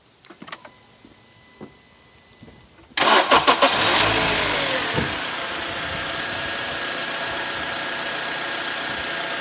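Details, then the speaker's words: 2008 Honda Accord after a no-start fixed by cleaning the battery terminals: a quiet spell, then a quick crank that catches within a second and settles into a smooth, even idle; starts and runs healthy. "so here you go the car started quickly then now that we clean the terminals"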